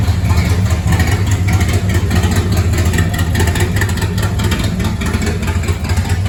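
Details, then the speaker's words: 1970 Chrysler Imperial, 440 big-block V8, parked since 1993, running with open exhaust after the restriction was removed: loud, throaty, lumpy but even rumble; engine breathes and runs freely. "Bet she sounds like a beast now. It's got a Chrysler 440 Big Block in it. I mean, it needs to breathe."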